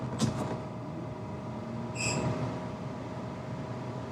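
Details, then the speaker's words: VW Mk1/Mk2 idling after manual AC switch install: about two seconds in, brief high squeak as electric radiator fan kicks on with AC switched on; normal. "there it is you heard it squeak the radiator fan is on"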